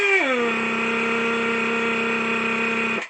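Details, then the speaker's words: Old Atlas Copco air hoist on compressed air, raising and lowering: the air motor spins up, then settles into a steady high whirring note with a constant sharp hiss underneath; air leaking somewhere, exact spot not yet found. "but I I certainly can hear it right there there is something there is a leak something is hissing in this area here"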